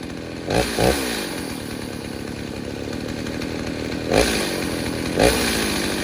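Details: Stihl 029 chainsaw with 45mm top end, first tank since rebuild: high buzzing two-stroke holds revs through the cut with a few short throttle blips, no misfires or rattles; normal running under load.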